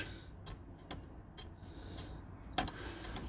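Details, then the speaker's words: Hermes Rocket typewriter space bar, already oiled including at the spring: thin high squeaks at irregular intervals, about one a second, worse when pushed one way; traced to a guide piece in front rubbing, later fixed with red oil. "even the Springs weird stuff can cause those kind of squeaks still heard it a if I push against it this way it really does"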